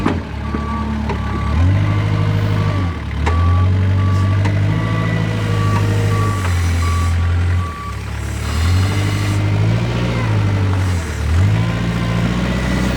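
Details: Kubota 520 hydrostatic wheel loader: reverse alarm beeps as the diesel labours and bogs repeatedly pushing backward into a pile. Forward climbs with wheels spinning; reverse falls flat, suspected of hitting relief in the reverse circuit and dumping to tank.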